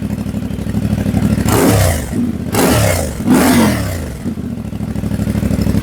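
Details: CF Moto 450MT, warm (not a cold start), just after a system software update from SW.1.00.23 to SW.1.00.98: single-cylinder engine idles with an even beat, then three clean throttle blips rise and fall smoothly; healthy, responsive normal revving.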